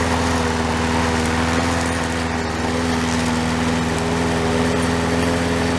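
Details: Toro SR4 mower single-cylinder engine after repair, oil drained from overfilled level to proper level: fast steady buzz, no misses or knocks; running normally.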